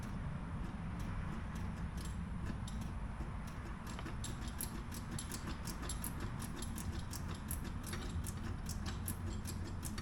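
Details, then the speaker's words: 1969 Corvette Stingray, 46K original miles, barn-stored: key turned after fitting a 20 amp fuse, only light uneven ticking and no cranking; owner suspects the starter, cause not yet found. "I really need to take a look at that starter is what I need to do. I thought that fuse was gonna work. I thought I was gonna crank."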